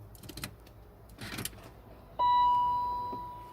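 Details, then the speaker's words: 2003 Range Rover HSE, one owner, being revived. Handling noise, then as the key is turned a single steady high chime slowly fades, with nothing from the engine: a warning chime, not cranking or starting. "We have problems. Not doing anything."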